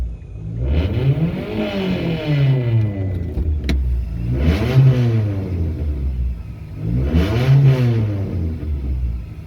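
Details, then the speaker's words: Mitsubishi Lancer with a DIY turbo install, testing blow-off valve and boost gauge: three free revs climb and fall smoothly with no turbo whistle rising alongside, so the turbo isn't heard spooling; cause unknown. "Why ain't I hearing turbo spool? Now what did we do?"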